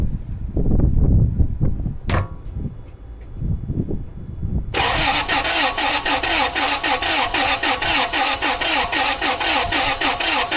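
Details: 2002 Toyota Sequoia crank-no-start with no codes, cranked during a relative compression test: fast, lumpy, erratic cranking with no catch. It smells of fuel in the oil, so cylinder wash and possible engine damage are suspected.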